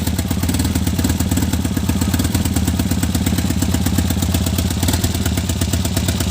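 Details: Tata Nano petrol engine idling with an uneven, lumpy beat as one cylinder keeps missing.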